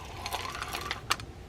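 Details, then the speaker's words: Daiwa Apollo A series 4000 RL spinning reel, handle turned; light, uneven crisp ticks with no grinding, a noisemaker by design showing the anti-reverse is working. "This should be a noisemaker. It is, but that tells you that the anti-reverse is working."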